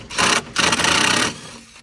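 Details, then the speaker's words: 2016 Grand Design Solitude RV, rear wall rocked by hand: harsh rasping rubs in two bursts with creaks and squeaking as the wall shifts; rear wall welds torn loose from the floor, a screw broken and aluminum cracked. "So, like I said in the previous video, um I'm going to reach out to Grand Design just to let them know that on older units, we keep seeing this"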